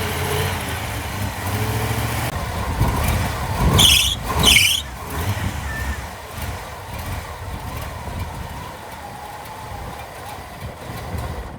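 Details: Jeep J20 engine started after re-tensioning the accessory belt: short sharp chirps rising and fading as the belt slips and flips off; alternator and power steering pump sit slightly forward of the water pump pulley, suspected misalignment plus belt tending to flip.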